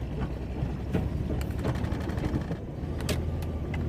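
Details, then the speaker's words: Minivan smoking and refusing to accelerate after old fuel was burned off and fresh gasoline added, owner suspects head gasket: low engine drone broken by irregular pops and stumbles while straining to pull; bad misfire under load, cause unconfirmed. "I don't know if you can hear that it's misfiring like crazy right now"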